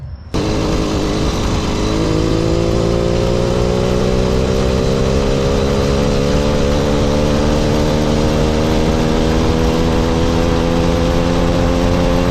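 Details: Mildly ported motorized bicycle two-stroke engine, stock carb and exhaust, riding; steady buzz climbing smoothly as it pulls away, quiet, even, no misses; normal running.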